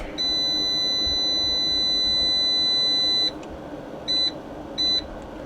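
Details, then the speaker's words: Inverter keypad beeping as charge settings are entered after first power-up of EVE 280Ah battery with JK BMSs. One long high beep of about three seconds, then short beeps under a second apart per button. Normal key beeps. "I've left the beeping on because you can actually hear it outside."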